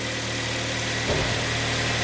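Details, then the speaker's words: 2012 Kia Sportage 3, G4KD engine, 76,000 km, just started after overhaul for scored cylinders/knock, ignition held on first for throttle adaptation: smooth, even low idle hum, no knocks or ticks; normal idle. "желательно повернуть ключ зажигания до заводки чтоб адаптировалась дроссельная заслонка завелся sage работает"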